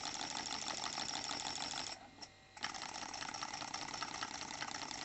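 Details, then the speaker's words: New Stuart D10 twin steam engine on compressed air at 500 g, both cylinders fed; injected air also escapes from open drain cocks, blowing a bit more without disturbing running; quick light chuffs, fairly even apart from a brief pause, normal. "l'air injecté ressort aussi par les drain cocks. Ça ne perturbe pas plus que ça le fonctionnement. Si ce n'est que ça souffle un peu plus."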